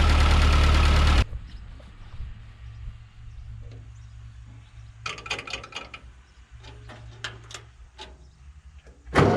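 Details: 1940 Ford 9N tractor after a rebuild correcting backwards rod caps, wrong ignition and cam timing, and wiped bearings: a loud burst as it catches, then a low, even idle thump with light clicks over it; runs normally.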